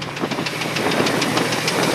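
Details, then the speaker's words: 1994 Chevrolet Astro van, idling: sharp, evenly spaced knocks about six or seven a second over rough idle, same with belt on or off, so internal. Cause unconfirmed; will pull upper plenum to reach balance shaft. "making that clunking noise with the belt on or belt off doesn't matter so I'm going to pull the upper Plum and get down to where the balancea shaft is"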